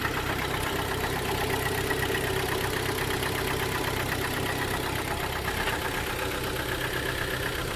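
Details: Hyundai ix35 G4KD petrol engine, 2012, 124,000 km, heard from cabin: idle with a dull, regular knock beneath the running noise, piston slap from worn pistons; block later bored 0.5 with repair pistons.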